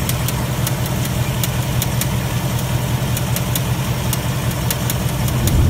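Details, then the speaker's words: 2018 Ford Mustang GT V8 at idle: a light, uneven, intermittent tap-tap ticking at roughly two to three per second over a steady idle. Owner says it is not the normal GDI tick, but the cause is unconfirmed. "you guys I'm sure you can hear especially those of you guys using headphones can hear the ticking it's it's not the GDI tank it's not normal"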